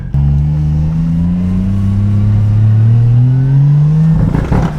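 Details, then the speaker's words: Car on its first real drive under its own power: a steadily rising drone under load stumbles into ragged popping bursts near the top, breaking up but not misfiring; the cause is unknown, possibly the ECU. "Well, she's not misfiring, but she's breaking up. Ooh, breaking up, but running under its own power, so I'm hyped on that."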